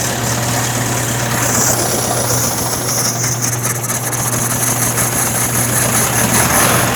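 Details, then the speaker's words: 1961 VW Beetle air-cooled flat-four, re-fired after wiring tidy-up: fast, somewhat uneven chuff with a steady hum. Rough idle; the carburetor is described as not the greatest, and it needs to be off choke. "I'll tell you right now, the carburetor isn't, you know, the greatest."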